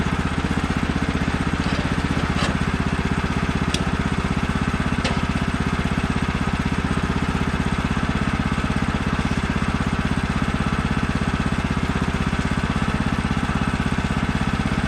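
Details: New Woodland Mills HM130 Max Woodlander sawmill with a 14hp Kohler engine on its first cuts, after the throttle cable was tensioned. Strong, steady note at full revs under cutting load, with no surging or bogging. Normal running.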